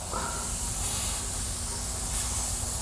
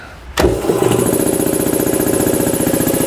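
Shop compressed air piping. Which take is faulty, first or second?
first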